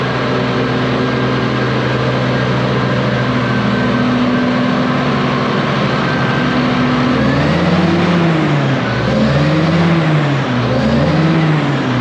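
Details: Low-hour (822 h) ex-US Army Cat D6R bulldozer diesel, bought inoperative, running after repair: steady, even, pitch wavering a little as worked, no knocking; zero blow-by noted, engine healthy, though a couple of hydraulic leaks were found.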